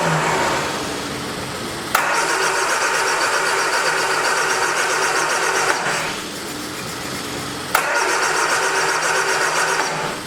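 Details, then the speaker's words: 1979 Triumph Spitfire, sat about 20 years, two long bursts of fast even cranking at about four turns a second with no catch; suspected fuel pump not working, cause not confirmed. "That fuel pump is not working for some reason. I guess it done took a flying dump."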